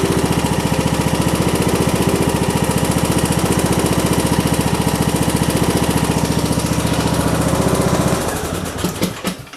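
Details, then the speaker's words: John Deere D110 mower that would not start, during tune-up, running after cranking to let gasoline fill the fuel filter: steady even thumping for several seconds, then a clean wind-down; normal running. "There we go. I was just waiting for the gasoline to fill up inside that fuel filter."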